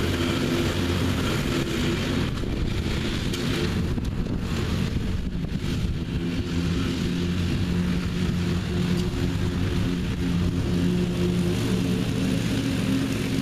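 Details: Revived neglected riding mower with new belt fitted, mowing the backyard: steady low drone holding even under mowing load, wind noise on top, no knocks or stumbles; running good and mowing evenly.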